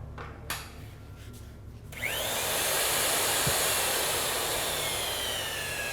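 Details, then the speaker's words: Electric boiler tube roller doing a straight roll on an oiled tube: high whine spins up, then pitch sinks as the tapered pin pushes the rolls out and the roll tightens against the tube; motor bogging down normally under load, roll complete. "You hear that roll bogging down, that motor bogging down, that's that roll really tightening up against that tube and pressed it out."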